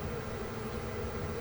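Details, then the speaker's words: Tektronix 2246 four-channel 100 MHz analog oscilloscope, never needing service, with its cooling fan running: constant soft whooshing hum with a faint steady tone, no rattle or pitch change; normal fan noise. "hasn't needed any service and unfortunately it has a fan as you can hear I hope you can hear"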